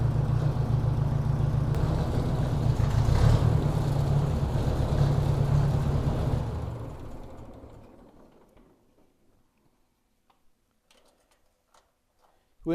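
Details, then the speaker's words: 1957 Ford Workmaster 601 (series 641) tractor, Marvel-Schebler TSX 765 carb, cold at about 24°F on choke: uneven stumbling idle with a periodic missing pulse, then fades and stalls as fuel is shut off; carb suspected. "you hear that kind of a Miss pulse and that's just at an idle"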